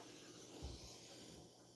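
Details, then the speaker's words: Tascam Model 24 mixer after a failed warranty repair, mic on channel one with the fader cranked high: a steady, even hiss with no hum or crackle, far too loud for a healthy channel. "Oh man. Well, I guess the fader is cranked pretty high, but that's noisy as hell. This thing's a lemon."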